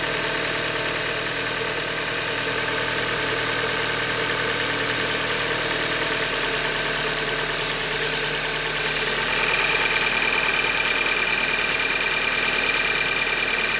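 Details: 2015 Hyundai Elantra Limited, 91,000 km, at idle: light, regular knock about three times a second over the engine; short block failure, described as a Hyundai manufacturing defect.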